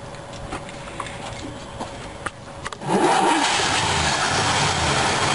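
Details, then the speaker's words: Freshly rebuilt V8, first start after oil priming, with a points distributor and the choke still on (cold): a brief crank, then it catches and holds a fast, busy idle with no stumble. The ignition timing is set too far advanced. "let's see if it'll start okay that's Advanced too much almost"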